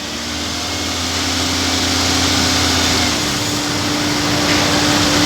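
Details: Toyota Avanza after driving through floodwater caused shaking, power loss, water in cylinders; injectors cleaned and refitted: engine now idles evenly with steady hum, no stumble, white smoke clearing. Smooth idle.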